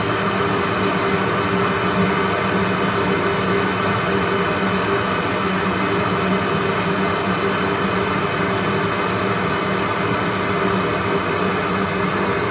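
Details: Worcester 38 CDI gas boiler in chimney-sweep test mode, turned up to maximum rate: loud, steady rushing fan at constant pitch with no rattle or surging, normal at full rate; flue CO2 reads 9.89 against the 9.7 plate figure.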